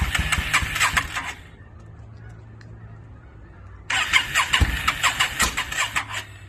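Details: 2002 Yamaha V-Star 650, newly bought, possibly needing a full tune-up, on choke, rusty gas tank; two bursts of uneven cranking with ragged sputtering firing, never settling into a run. Hard starting, owner suspects flooding.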